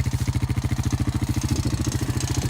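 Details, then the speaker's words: Rancher ATV started in 36-degree weather after sitting since November: even, steady single-cylinder thumping about thirteen beats a second, no misses or clatter, settling into idle; normal idle. "the performance at all this thing runs phenomenal"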